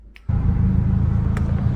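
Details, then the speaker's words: Turbo Toyota Corolla manual gearbox, driving hard, just after a shift from third to fourth: a loud, harsh low rumble with rough metallic grinding. The transmission failed internally and was later replaced by a 6-speed EC60. "So, literally one day I was driving to work and just minding my own business, ripping the car along, and I was just third gear, ripping it down, third gear, shifted to fourth, and then it had made the worst metal grinding noises that I have ever heard."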